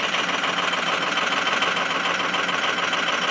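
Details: 2005 Ford 6.0 Powerstroke diesel on a cold start at 17°F, with injectors 1 and 5 bad. Rattly, uneven idle clatter at about three beats a second from two misfiring cylinders.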